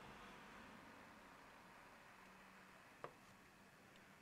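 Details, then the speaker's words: Enermax Liqtech 120X AIO liquid CPU cooler, fans switched to the minimum setting: only a faint, even airy hiss with a couple of small clicks. Far quieter than before; normal. "here we just switched it to its minimal setting he it's nowhere near as noisy as it"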